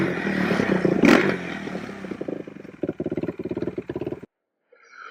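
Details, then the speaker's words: Quadracer LTR450 single-cylinder ATV after removing the clogged inline fuel filter: clean short throttle blips, revs rising and falling without stumble; now takes throttle fine, healthy revving. "I did that. It seems to take throttle fine. So we're going to take it for a rip down the road."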